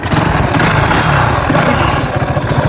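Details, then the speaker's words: 50cc motorcycle ridden without an air filter: rough rapid knocking over the buzz while running; blamed on the spark plug, but the mechanic says the engine knocked from internal wear, unconfirmed. "Is não é vela não, amor. Você é o motor que bateu."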